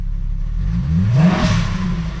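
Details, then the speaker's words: Jetta wagon, stock exhaust and stock except for a cone filter; a quick throttle blip swells and falls with a rushing, supercharger-like whoosh over the engine note; a free-breathing intake, not a fault. "this is a stock car stock exhaust stock everything minus our cone filter but like this thing sounds ridiculous almost like it's supercharged like whoosh it's blowing off a little bit"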